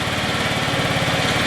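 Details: Scooter after prep, oil change and first start on fresh premium fuel: quick, even putter with a steady pulse and no misses or knocks, the small engine idling cleanly.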